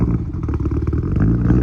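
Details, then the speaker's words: Evo 4 just started after setting a crank index of 95, untuned and without an O2 sensor installed yet: an uneven, lumpy idle with irregular pulses and a loose clatter over the exhaust beat. Rough running. "Run a little rough. Still got to tune it, but we got to get an O2 sensor in it."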